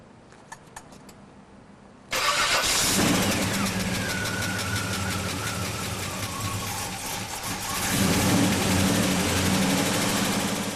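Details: 1968 Chevelle with a late-model Goodwrench 350 crate V8, first start after a Vortec head swap. A brief starter whir, then it catches and settles into a loud, slightly lumpy idle; an apparent intake manifold vacuum leak was found afterward.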